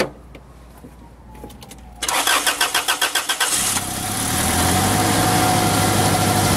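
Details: Toyota Tarago/Previa/Estima (TCR11) started right after installing a new Bosal catalytic converter: starter cranks in quick even pulses about 1.5 seconds, catches and settles into a smooth steady idle without rattles; normal start.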